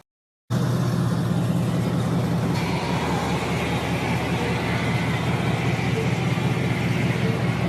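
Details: 2004 Chevy Silverado 5.3L LS V8 on its cold first start after a performance cam swap (218/227 duration, .526/.524 lift), accessories not yet hooked up: catches and settles into a steady, slightly loping idle with an even chuff. Normal idle.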